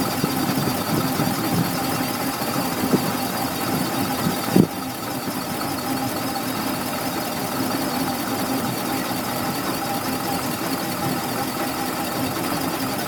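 A thin, steady high whine sits above a quiet idle and holds its pitch throughout; there's a whine, cause still unknown.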